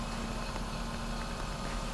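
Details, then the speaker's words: Renault Arkana manual in frost, cold idle just after a frosty start: quiet, steady, smooth drone with no knocking; gearbox bearing noise disappears with the clutch pressed, and the owner calls the bearings cheap; normal cold idle. "нажимай сцепление да все шумы пропадают сразу коробка конечно такие же подшипники это дешманский стоят"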